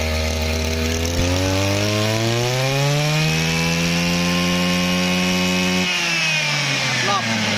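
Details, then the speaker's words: Used Japanese Mitsubishi TL26 two-stroke brush cutter with auto-run; clean buzz climbs smoothly to high revs, holds, drops back with no stumble or rattle; normal revving, soft and quiet. "อ่ะอ่าฟังเสียงครับเสียงมันไม่ดังเห็นมั้ยมันนุ่มเร่ง"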